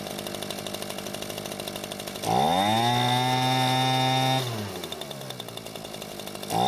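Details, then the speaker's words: Echo leaf blower two-stroke, choke set manually: idles evenly, revs cleanly to a steady high pitch and drops back without stumbling; no fuel leak afterward. "it seems to be running just fine now and after letting it sit for a few hours there wasn't any fuel leaking from the carburetor"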